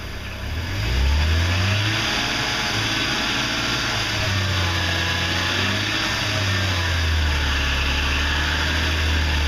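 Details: 2006 BMW 330i E90 petrol engine at steady idle with a hard, constant knock, clattery like a diesel; began as cold-start knocking six months earlier, now knocking all the time; source not pinned down.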